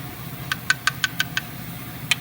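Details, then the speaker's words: Mercedes OM642 diesel, 200,000 miles, idling with a ticking sound: sharp metallic ticks about six a second over the idle as one stretched, worn timing chain rattles while the other chains are tight; the timing chain needs replacing. "this chain is tight but this one is worn out and it was making this sound while the engine was running"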